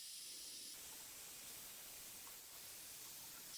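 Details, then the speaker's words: Combi-boiler central heating radiator, warm at the bottom and cold at the top: steady high airy hiss as trapped air escapes the bleed valve and water fills the radiator, the noise changing near the end. "I can hear the water running into the radiator as the air is coming out. Nearly there. Listen to the noise changing."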